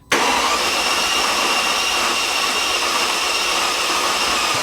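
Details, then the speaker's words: Mercedes CL65 AMG twin-turbo V12 after 50-hour engine job, cranked with fuse pulled to prime oiling, new tensioner: steady even starter whir with no catches, grinding or binding, third crank; normal cranking without firing. "okay so sounds pretty normal it cranks like normal um so we've done that three times i'm hoping that's enough to have kind of primed the oiling system"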